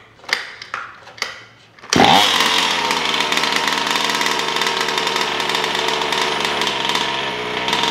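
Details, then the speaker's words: Taylor RC 35cc two-stroke in a DBXL 2.0 with Bartolone Racing exhaust, restarted after cooling during its first heat cycles, half throttle only. It catches on the second pull and holds a steady, high buzz at part throttle; it sounds healthy. "but yeah let's start it up again okay it should start again no problems on one pull oh sorry two pulls"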